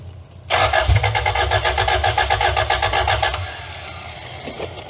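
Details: 2-litre engine just installed in a van after sitting 18 years, fuel pump on: starter cranks at about four turns a second for nearly three seconds without firing; the intake was left unclamped and leaking air.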